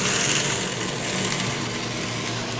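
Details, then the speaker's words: Pump trainer: an electric motor drives an acrylic centrifugal pump through a magnetic coupling. With the suction valve reopened, suction pressure rises and flashing stops, giving a steady, even rushing hum with no gravelly rattle: normal operation without cavitation. "increases the pressure on the suction side of the pump less and less vacuum till we no longer flash and we no longer cavitate and that's a happy pump"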